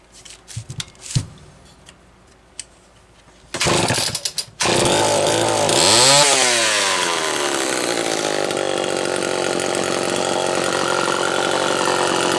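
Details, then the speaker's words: Homelite Super XL two-stroke chainsaw after new piston installation: a few pull-start tugs, then it catches, revs sharply and settles into a steady, even high-speed buzz. Normal running. "let's take a listen to what this thing sounds like with a fresh piston should be great"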